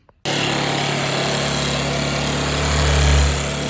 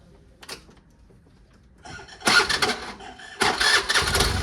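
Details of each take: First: Old Bajaj Pulsar single-cylinder, jump-started from a scooter battery with petrol fed directly into the carburetor instead of from the tank: fires straight away and holds a steady, even idle with a slight rev rise, supporting the owner's bad-petrol theory. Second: Old Bajaj Pulsar in restoration, jump-started from a scooter battery after fitting an original-size used part: fast, light, smooth whirring cranking with no firing; starter suspected not engaging properly with its magnet; starter spinning without engine catching.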